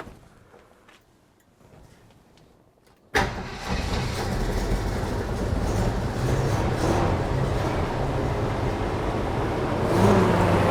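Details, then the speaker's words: Neglected Jeep J-series truck with a four-barrel carburetor rebuilt by owner, vacuum leaks sealed, runs about 20 seconds: fires but runs lumpy and won't idle without throttle. Owner suspects float misadjusted, flooding with too much fuel. "So, unless I'm jamming on the gas, it won't idle. I think it's getting too much fuel."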